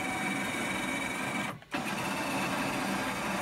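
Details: R2D2 droid build dome motor, tested with the dome removed: even high-pitched motor whir with a brief stop, no scraping or catching; runs freely, whereas with the dome fitted it was catching on the metal.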